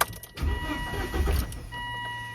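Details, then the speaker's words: Volvo V70 with a flooded cylinder from a stuck-open injector. The injector is disconnected and the spark plug removed, yet petrol sprays out of the plug hole. Uneven cranking, then a catch and a steady hum; the injector can be heard still open. "It's throwing out petrol through that open spark plug. And the interesting part is that that injector is not even connected. Hmm. And you can hear the injector is still open."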